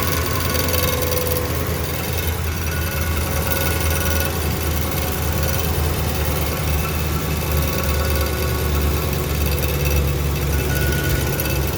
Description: 2011 ram noisy when cold,thought it was the torque bolts but seems the metal plate between the tran and engine must have gotten bent.